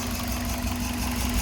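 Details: 2003 Toyota Runx, 1NZ petrol engine, idling with a slightly uneven, lumpy beat as one cylinder is not firing, during a deliberate misfire demonstration where cylinders are disconnected and reconnected.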